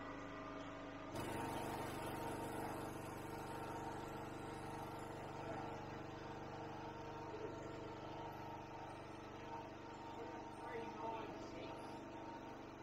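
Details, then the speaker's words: Ryobi 2500 W generator, stored about 12 months, loaded with a 400 W pump, 400 W lamp and 2200-2300 W vacuum, metered about 2680 W: engine drops into a heavy, strained drone and never recovers; generator overloaded. "so we got the two 680 and as you can hear it was really really struggling pretty much right on the money for what it says"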